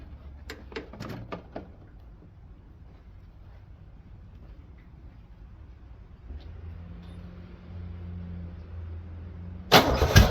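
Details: 1968 Pontiac Firebird 400, first start since 1986 after cleaning and gapping the points, fuel in the carb bowl, vacuum leaks taped, starting fluid used: a few clicks, several seconds of steady cranking, then it fires quickly with a loud bark.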